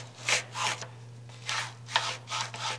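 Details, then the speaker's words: Hand-pushed stroke of a failed Y-axis linear bearing block on a 6x12 CNC router, back end blown apart and missing many balls: rough gritty rasping with hitting and clicking; owner hopes it's the root cause of Y-axis issues. "you can hear it hitting and clicking this thing is absolutely awful absolutely awful"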